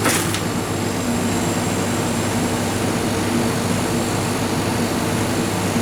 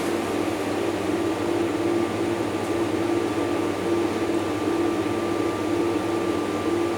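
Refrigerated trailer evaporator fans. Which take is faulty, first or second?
second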